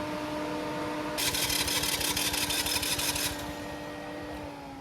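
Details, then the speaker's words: Champion 4500 W generator in a DIY RV generator compartment, cranking: about two seconds of rapid starter cranking, roughly three pulses a second, and it never catches. The choke was opened too far; it started once the choke was closed a little. "so we got it running i actually had the choke open too much so as soon as i closed the choke a little bit it started running"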